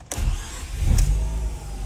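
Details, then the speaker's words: 2011 Mazda RX-8, 1.3 L naturally aspirated rotary, previously flooded; brief crank catches at once and settles into steady deep idle; engine started, alive again. "Look at it. It's alive. Piece of rotary. It's so flooded. Nice. It is back."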